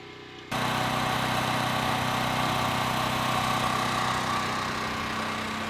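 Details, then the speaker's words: Westinghouse WH7000EC generator converted to natural gas (US Carburetion type C kit), heard from indoors at the transfer switch while it runs outside: steady, even drone with constant buzz, no misses or surges; running normally. "So we're back inside at our transfer switch. You can hear the generator buzzing outside."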